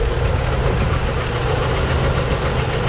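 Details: Deep, steady knock under a lumpy idle with the valve cover off; valves dry but all moving. Owner suspects the cam, or a valve heard through a hose, after blaster treatment.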